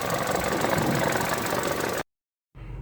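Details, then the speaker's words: Vauxhall part-exchange car, low fuel, started with no chain rattle: even idle with light regular tick about four per second, typical injector clatter; another noise attributed to a loose cover; engine sounds healthy. "It's got a very familiar cracking of the injectors on these uh voxels. That other noise is just the covers loose. It sounds good,"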